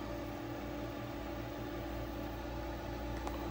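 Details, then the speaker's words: Frigidaire EFIC117-SS ice maker after disassembly and reconnecting power: steady even low hum with soft fan-like hiss, no knocking or rattling, water flowing; compressor running normally. "It sounds like it's working now."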